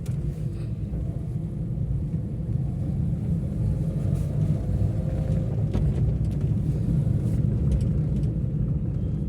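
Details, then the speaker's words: 2021 Maruti Eeco CNG, 31,000 km: after throttle body cleaning and throttle calibration, idle is perfect with no rpm fluctuation and it drives well; smooth, even low rumble while driving, no surging or hesitation. "Idol प एकदम perfect है देख सकते हैं sound सुन सकते हैं और चलाने में भी काफी अच्छी है कोई प्रॉब्लम नहीं आ रही"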